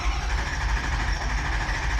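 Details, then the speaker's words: 2004 Ford 6.0 Powerstroke diesel, cranking with an even low churn and no start. It shows zero injection control pressure, and the aftermarket high-pressure oil pump is suspected to have failed. Metal pieces were found in the oil filter. "I mean, we can do an air test, but 0 pounds? 0? Like 0. None. Really? None. Yeah, none."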